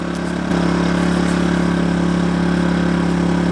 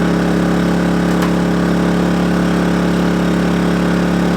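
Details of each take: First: Kings 2kVA generator powering an air conditioner set to 16°C: the drone rises slightly in pitch and loudness as the load comes on, then holds smooth. Normal running under load. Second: Kings 2kVA generator running air conditioner, fridge, fans and lights when the hot water service is added: the drone drops in pitch, labours and hunts unevenly, and the overload trips. Generator overload.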